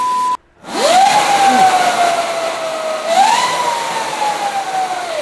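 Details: Yamaha Mio converted to electric, with power rated equal to a 400 cc motorcycle: a clear high whine like a jet climbs and falls with speed; probably the chain or drive singing under power.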